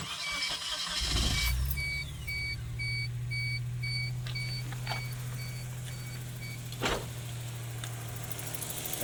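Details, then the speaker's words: 1992 Geo Metro LSi convertible, 1.0L three-cylinder G10, automatic, after starter replacement, fixing a loose starter with a missing mount bolt and cleaning the battery terminal: brief crank, immediate catch, steady even idle, door chime beeping; normal starter cranking and start. "sounds much better."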